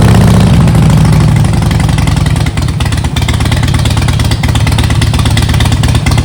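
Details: Harley-Davidson Softail V-twin, after rebuild with new intake seals and timing checked: loud engine settles from a brief higher note into a lumpy, uneven idle; still rough running, cause not clear, wiring suspected.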